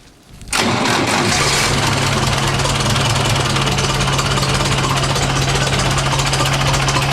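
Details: 1960s Massey Ferguson 165 tractor diesel, kept running only with full choke and wide-open throttle because of a troublesome carburetor, low battery: loud, rough diesel clatter with a low humming drone at high revs, cause unknown; loud humming and knocking while running.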